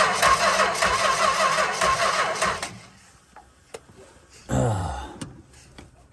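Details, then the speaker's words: 1964 Chrysler Newport, sat 2.5 years, powered directly to ballast resistor without key: steady cranking about 2.5 seconds with no catch; no spark seen, owner suspects distributor short or flooding. "Come on now. No? Okay, I mean, did I flood the crap out of it or something?"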